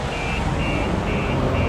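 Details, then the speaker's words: 2021 VW ID.3 electric car with StarLine S9 smart alarm; unlocking and opening the door as simulated thief sets off repeated high tone bursts about two a second over a low rumble, alarm sounding as intended and car immobilized. "So if I unlock the car now and I open the door, as you can hear, the alarm is going"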